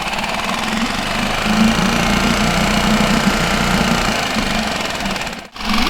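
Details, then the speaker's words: Mercury 5 hp four-stroke outboard after being submerged, running before replacement of its mechanical fuel pump, during a decibel test: busy tick of three to four a second over the engine; owner suspects the fuel pump. Loud ticking. "the reason why i wanted to change it is because i'm noticing some loud noise coming from the fuel pump even though the motor starts"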